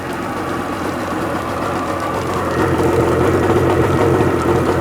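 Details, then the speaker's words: Sea-Doo XP 720 two-stroke, freshly rebuilt, driveway run on flush hose, pump disconnected; smoking from extra conventional oil for ring break-in; even burbling idle holding steady with no knocks or misses: normal idle. "She loves it. It's smoking real good because I got extra oil in there because, you know, I don't have my clots."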